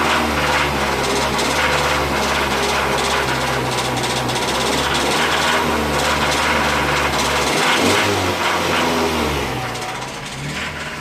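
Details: 2005 Mazda 6 2.3 four-cylinder, 210,000 on the clock, oil changed every 5k and full: deep knock about three per second that follows revs and grows louder. It has worsened over 3.5–4k; pulling plugs one at a time changed nothing. Rod knock confirmed; car scrapped.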